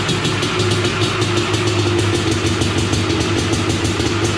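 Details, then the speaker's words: Honda TRX 250R two-stroke quad just finished after a build, with an expansion chamber fitted, idling in the garage; crisp even burble with rapid regular firing pulses, no knocks or rattles; normal two-stroke idle. "We'll smoke it out in here, kill all the mosquitoes, and we will annoy the neighbors at the same time. Something about a two-stroke. Love it."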